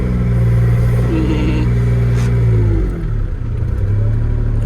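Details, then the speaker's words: Old 140 digger diesel, hard to get running: raspy chuffing edge over low drone when revved; mechanic suspects cracked welds on the four-bolt 90° elbow after the three-into-one exhaust manifold; suspected exhaust leak, unconfirmed. "bet it's at 90° so you've got the exhaust manifold where you've got three cylinders going into one and then out the exhaust manifold there's like a um 90° elbow with four bolts that hold it and bet you the welds around that elbow have gone"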